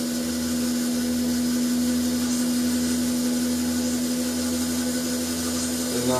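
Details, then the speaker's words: BMW E31 840Ci EV conversion, electric motor driving the automatic gearbox on the bench in park at really slow rpm to reprime the pump; churning, uneven whir as the transmission pump sucks air from low fluid. "Yeah, still sucking air. Ooh, there's a bit of regen there. Still sucking air. More fluid."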